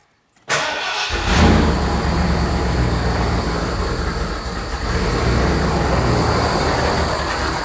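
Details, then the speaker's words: Carbureted 460 V8 Bronco, first start after MSD Atomic EFI install with Holley low-pressure pump: catches after short crank, idle surging and dipping before steadying as air purges and fuel pressure reaches 41-42; rough start from air in fuel system. "Kind of like I thought, a lot of air in that system."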